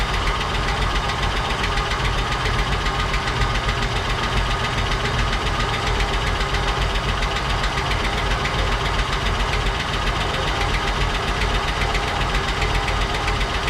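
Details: 1959 Cadillac project car, unstarted for 11 years, run on a proper fuel supply after cleaning points and checking plugs: rough, loud idle with fast, uneven top-end ticking about two to three per second; noisy lifters or sticking valves suspected.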